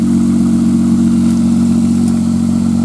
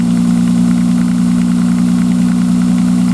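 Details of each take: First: 1995 Nissan Maxima after replacing two injectors, start after sitting a few hours: smooth, even idle hum with a steady low tone and no ticking; cold-start noise (suspected water pump) gone, engine healthy. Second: 1995 Nissan Maxima at cold start: steady idle with light, quick, evenly spaced tick about three per second, like plastic on plastic, lasting only the first few minutes until warm; owner suspects a tensioner problem, also exhaust leak.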